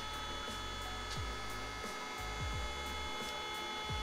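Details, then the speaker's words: Acer Power FV desktop tower switched on: fans and drive whir steadily but no startup beep and no display, a no-POST condition before disassembly. "donc la machine ne se lance pas donc on devrait entendre biper donc logiquement là on a rien sur l'image"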